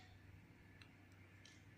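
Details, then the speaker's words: iPhone 6/7 Plus power button after cleaning behind it with a toothbrush: a few faint, crisp clicks over quiet room hum; button clicks and works normally again. "See? You can even hear it click."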